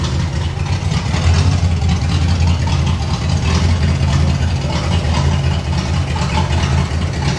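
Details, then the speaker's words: 1989 Pontiac Trans Am GTA V8 after replacing a fuse, warm after running a minute: steady, even low rumble, firing on all eight, a normal idle. "It's still seem a little unhappy. It's hitting on all eight."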